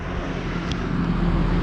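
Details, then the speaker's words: 2004 Chevy Trailblazer with a P0128 code, right after start-up with a new fan clutch fitted: a low even roar and steady hum as the fan spins about 1,000 rpm against 304 desired, then starts to come down. This is normal engagement. "So there is a thing with this: when you start it up, it will kind of rapidly accelerate and go into this high speed thing. It's starting to come down a little bit."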